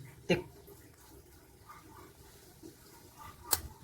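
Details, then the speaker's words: LG upright freezer not cooling, stock capacitor fitted: faint low hum from stalled compressor, then sharp clicks as the overload protector trips; faulty start capacitor, replaced with same-value 32 µF 300 VAC. "Okay so magkakaroon ng Ugong yung compressor after a while mag-trip yung olp"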